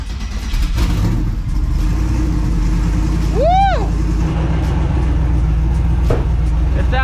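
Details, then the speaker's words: Twin turbo Mustang with Holley showing overheating, after vacuum-filling the cooling system with water, warming up: deep steady rumble with no stumble or surging; runs way better, normal running, bottom radiator hose leaking. "way better way way better now like I said just let it warm up"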